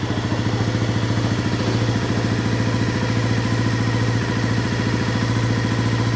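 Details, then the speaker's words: 1997 Honda CB50V Dream 50 (AC15) DOHC four-valve 50cc single, revived after about 15 years sitting, on stock ignition: steady, even putter with no misses, knocks or valve-train noise; clean, healthy idle while still cold. "nice settles in there I thought we'd be hearing valve train noise there's nothing"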